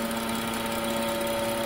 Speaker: 2013 BMW 335i as you can probably hear it's making an awful humming noise